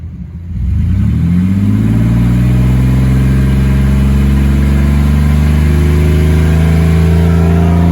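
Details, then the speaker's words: 1996 Chevy S10 with newly fitted Cherry Bomb glasspack muffler: deep, throaty exhaust rumble climbing smoothly as the throttle is slowly opened all the way, no stumbles; loud glasspack exhaust note. "Oh shit. Fuck it. Okay. Sounds modified. It sounds so sick, dude."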